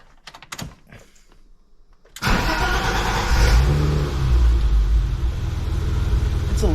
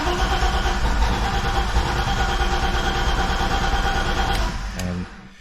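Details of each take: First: BMW E30 six-cylinder after replacing the fuel filter and a hose likely 30-plus years old: after a few quiet seconds it fires almost instantly and settles into a steady idle; the long cranking delay before starting is gone. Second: BMW E30 with fuel pump disabled to relieve line pressure before a fuel filter replacement: steady starter cranking at roughly three beats a second that never catches, then stops; crank-no-start with fuel cut off.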